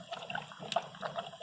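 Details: 2012 Mini Cooper with P0303/P0304 misfires, hot engine: irregular gurgling bubble pops in the coolant from combustion gas past a blown head gasket; compression 70 vs 45 psi, plugs changed, head gasket to be replaced.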